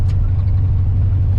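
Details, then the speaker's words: 1985 Chevrolet C30 crew cab dually with LS-swapped 6.0 V8 at idle, running poorly after a new cheap fuel pressure regulator: uneven, loping, stumbling beat like a dead cylinder; misfire, cause unconfirmed, scan tool next. "It ain't hitting on all 7. Maybe we can hook up the scan tool and it'll tell us which cylinder it is. Pull the valve cover off or something. Don't sound like it used to."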